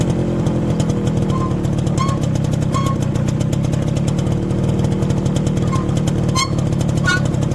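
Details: Motorcycle with newly replaced rear drum brake shoes: short high squeaking chirps every second or so from the rear wheel while riding, over the engine note; dirty new shoes are squeaking.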